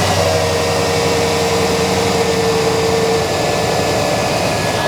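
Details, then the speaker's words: Cold-start idle with the fan clutch locked: loud, steady rushing roar with a faint whine as the fan pulls a lot of air across the radiator while cold. Fan clutch engaged when it should freewheel; the fan clutch is being replaced. "right so the fan is pulling uh quite a quite a bit of air across the radiator right now with the engine being cold that's not really what you want uh unless your air conditioning were running"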